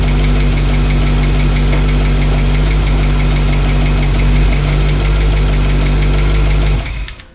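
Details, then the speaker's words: Old truck V8 after cam break-in and new fuel line: strong idle with light quick ticking until shutdown; earlier-adjusted rocker chattering again, likely rocker nut backing off, owner hopes it's not a lifter not pumping up. "And I adjusted that down and I didn't hear it anymore. And it sounded really good. But now I hear it again. And I'm just hoping that, I hope it's not a lifter that's not pumping up."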